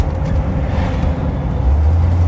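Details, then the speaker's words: 1975 Chevrolet van at about 20–25 mph coasting off throttle; deep road and drivetrain rumble with a faint steady howl, absent on acceleration; rear differential howl on deceleration, owner suspects pinion-to-ring gear mesh misaligned. "When you accelerate, you don't hear it. But when you decelerate and it's kind of slower really about 20 m hour, I would say 25 mph and you let off of it really starts a howl."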